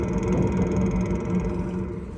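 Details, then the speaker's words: Globevan Campscout campervan gas boiler/heater on propane, heard at the outside vent as the burner kicks in properly: a steady, even low roar with no popping, fluttering or cutting out, so it is firing normally. "But that's how you just double check, that's how you make sure, all right? You hear it now? It's just kicked in properly."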